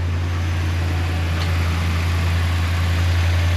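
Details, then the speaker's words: 2013 Ram 1500 RWD 5.7 Hemi with code P1004, run after reassembly with the engine cover off: deep, steady, even idle rumble with no misses, knocks or ticks; runs smoothly. "run smooth that b clut is junk though turning way too slow but no matter"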